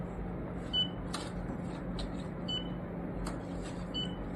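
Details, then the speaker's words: Canon MAXIFY GX4070 printer: short high chirps over quiet printer hum as paper fed into the rear slot is detected normally, while the ADF fails to detect paper for many minutes after startup. "However, if you were to open the back side this little panel and then if you were to feed it here, you can hear the sound."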